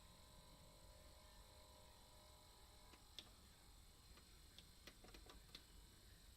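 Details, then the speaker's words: Music-centre record player/cassette deck under repair: steady low mains-type hum with faint ticks and no music; a belt is suspected, not confirmed. "No, I can hear it now. It's making a hum."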